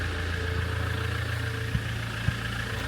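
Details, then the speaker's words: 2008 Land Rover Defender 2.4 Puma diesel idling after injector seals and seats, copper washers and rocker gasket were replaced to cure a smell and oil-cap chuffing. It is now dry at the cap and gives a steady, even clatter with no misses or knocks. It runs smoothly with more performance on a test drive. "I back from a big old test drive now definitely got some performance back in the car it runs really smoothly which is nice"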